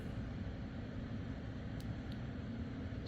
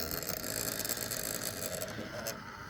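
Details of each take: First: MSI laptop fan after repair of a fan that had been going berserk, with heatsink removed and fuzzy thermal pads cleaned: soft, even airy whoosh with no rattle, buzz or rising whine; normal fan operation. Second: MSI gaming laptop, cooling fan after reassembly: loud, rough high-pitched whirring with a rattly edge right after power-up; the failing fan still sounds bad and needs replacing.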